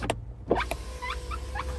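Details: MKV VW Jetta after aftermarket replacement of all four door window switches: a smooth, steady motor hum for about a second and a half with an even pitch and clean stops; the power window works normally.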